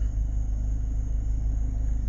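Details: 1994 Honda EX, warm after about 31 miles (about an hour) of driving, restarts cleanly with steady even rumble and no whine or squeal; check engine code 9 stays off; normal idle.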